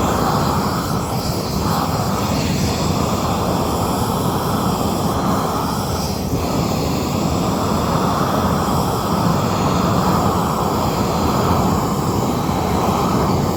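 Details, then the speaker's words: New upgraded weed torch at full flame: steady deep roaring rush with no sputter or popping; burning evenly, good flow, no problems unlike the previous torch. "Boom. Got a good flame. Turn this up some more. So, it has good flow. And no problems like the last time."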